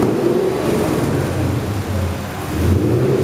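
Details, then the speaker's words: Ford GT40 built from scratch, first engine test on bare chassis; deep, even V8 rumble rising and falling smoothly with the throttle, no knocks or rattles: normal revving. "Home, té un roncar profund, una cosa que dintre, dius, allà dintre aquesta bèstia hi ha cavalls."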